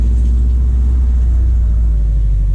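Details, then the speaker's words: Subaru WRX STI, first drive after winter storage on old fuel, not yet warm, gentle driving in rain: deep, even exhaust rumble, smooth under light throttle, no knocks or misses; healthy. "i do miss this sound oh yeah we're gonna get the car wet but it seems to be running all right"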